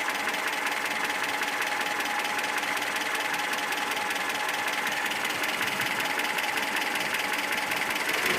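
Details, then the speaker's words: ZMZ 402 engine just after revving, knock appearing then fading, louder then quieter, said to be near-constant when hot at idle; light quick intermittent tapping; cause found as piston pin-to-connecting rod play in all 4 cylinders. "Звук стал тише. То громче, то тише. Горячий на холостых будет почти постоянно. И застучало."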